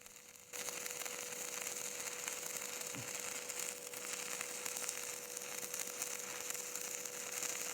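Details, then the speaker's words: Stick welding vertical up with 6013 rod on flat plate: loud, dry, crispy crackle with sharp irregular pops and no smooth sizzle. Travel uphill is fast and the arc gap too long, giving a wide puddle. "You can see that I'm moving pretty fast uphill, that the arc gap there appears to be pretty long, and the puddle's really wide because of the arc gap."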